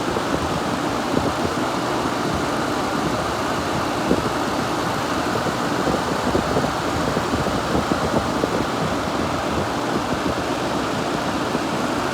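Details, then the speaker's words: Vintage 6,000 BTU Gibson Air Sweep room air conditioner running after cycling; smooth even compressor hum with steady fan rush, no rattles, surges or squeals; cold all the way to the top, full charge, though fan motor needs lubrication. "yeah we're cold all the way up to the top now yeah that thing's got a full charge ain't no doubt about it"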